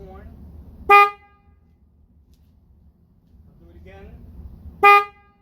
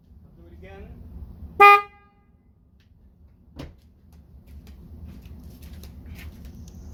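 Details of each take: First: Toyota Tacoma horn after swapping in two sets of dual high- and low-tone horns from a 2007 Cadillac DTS, replacing the weak high-pitched factory horn: two short, loud, full chord-like blasts with crisp cutoff, louder than before; normal horn. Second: Toyota Tacoma stock single factory horn: one short, thin, high-pitched toot with little body. It sounds weak and will be replaced with dual-tone Cadillac DTS horns.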